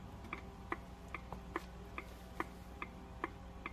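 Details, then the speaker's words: Car turn signal indicator ticking restored after a piggybacked replacement speaker fixed the silent blinkers; key on, in neutral, lights on. Steady crisp ticks a little over one per second over a low idle hum; normal indicator sound. "We have sound. That's the indicators."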